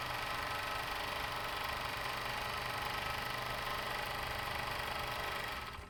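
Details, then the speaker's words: Overlock machine after repairing the needle bar touching up and down: even, fast stitching rhythm with a smooth light whirr, the earlier heavy khat-khat knocking gone; runs normally. "सच में machine में सच में machine की आवाज में इतना फर्क पड़ गया है। मैंने सोचा नहीं था। उससे अच्छा रिजल्ट मिला है।"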